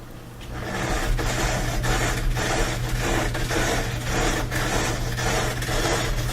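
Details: Bosch dryer: metallic scrape repeating about twice a second with each drum turn over a steady motor hum, caused by a screw caught between the drum and the front bearing; fixed by removing it.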